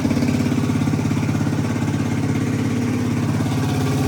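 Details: 1985 Suzuki DR250 survivor single after reconnecting breather, exhaust and intake and straightening the fuel line: started easily, crisp regular thump at steady idle with no valve chatter or ticking; engine sounds healthy and quiet.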